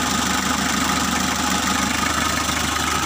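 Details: Mitsubishi L300 diesel at first start after a full engine overhaul, radiator not yet installed, so run only briefly: even diesel clatter at constant speed with no knocks or misses. Normal diesel idle.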